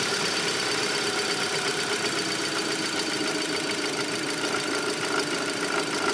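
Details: Audi A4 B7 after an oil change: steady idle with a fast, light ticking over the engine hum; new noise, source not pinned down.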